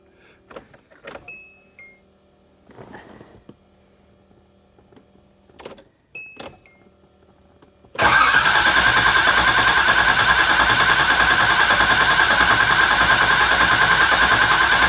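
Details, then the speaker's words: 1986 Nissan 300ZX flood-salvage car with fuel circulating and a half tank: the starter cranks evenly for about eight seconds, but the engine never fires. The owner suspects fuel hasn't yet reached where it needs to be. "you've got to be kidding me maybe the fuel just hasn't gotten up into where it needs to be"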